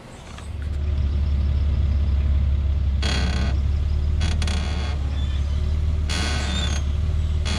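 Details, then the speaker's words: Lexus GS passenger-side front upper control arm bushing creaking when the steering wheel is turned very slightly at idle, dry rasping creaks in short bursts; the squeak developed over two to three weeks and was fixed by replacing the upper control arms. "all right guys so as you can see when you turn the steering wheel very slightly it makes that annoying annoying like screeching sound"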